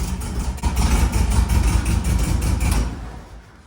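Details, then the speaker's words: 1958 Karmann Ghia air-cooled flat-four after rebuild, plug-lead pull test shows cylinder 3 working but cylinder one giving no response: lumpy, uneven low chuffing with a missing beat; dead cylinder misfire. "Cylinder 3 is working just fine. Cylinder one, I'm not getting any response. And that's not good."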